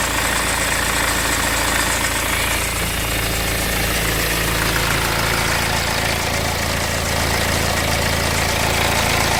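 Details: BMW 520d diesel at idle: a rough, uneven clatter layered on the normal diesel knock, about four beats a second; a light rattle, suspected timing chain noise, unconfirmed.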